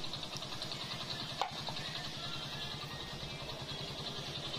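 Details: Hero Splendor Plus motorcycle that had black-fouled plugs, black smoke, misfiring and poor mileage, after adjustment and air filter check: quiet, even idle with a steady beat and no misses or stumbles; runs smoothly, normal idle.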